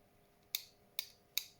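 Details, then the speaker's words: 1989 Nissan Silvia S12 1.8 Turbo engine-bay relay bench-tested with power applied. Three sharp, crisp clicks in a quiet room as the relay pulls in and switches; the relay is working normally. "there we're good clicking relay's working"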